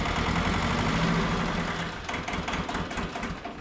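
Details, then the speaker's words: Mitsubishi MT372 diesel tractor running, with a loose injector line found: low diesel clatter settling into a steady idle about 2.5 beats a second, then fading. "We'll get back to you guys when we get back, but, hey, we got it running. There's a dang loose injector line down there."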